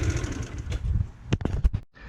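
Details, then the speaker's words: GY6 scooter after refitting performance air filter with zip ties, restart check: small single-cylinder engine catches and settles to steady even putter with no misses or popping; starts and idles normally. "All right, so let me give it another start up and see. Just make sure. Yep, we're good."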